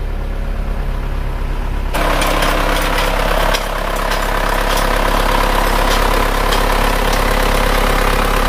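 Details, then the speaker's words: Isuzu Panther diesel after an engine overhaul, just started and held at about 1000 rpm fast warm-up idle: slightly uneven, lumpy knock around 146 a minute; injectors 2 and 3 found not atomizing, dribbling, only 1 and 4 spraying well. "ini mesinnya sudah hidup tetapi ini tadi sudah kita cek injektornya tanahnya buruk yang nomor 2 dan nomor 3 yang bisa mengabur dengan bagus hanya nomor satu dan nomor 4 sedangkan yang nomor 2 dan nomor 3 itu tidak menghapus sama sekali jadi kencing"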